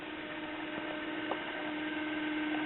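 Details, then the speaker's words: Caloric/Whirlpool stove clock motor after 25 years: thin steady whine with faint buzz and occasional small ticks; owner hopes it's just a dry bearing. "Oh I'm hoping it's just a dry bearing after 25 years of sitting here"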